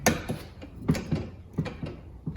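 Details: 1989 Chevy/GMC OBS truck door after replacing door pins, bushings and door check spring: crisp clicks and soft clunks as the door swings, detents catching firmly, door stays open; working properly.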